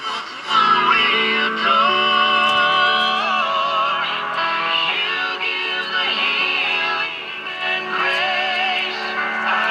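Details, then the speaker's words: 1946 Bendix 526 AA5 five-tube AM radio after repair and IF/oscillator alignment: clear full station audio at steady volume with no hum, crackle or fading; normal audio output. "sounds good sounds clean"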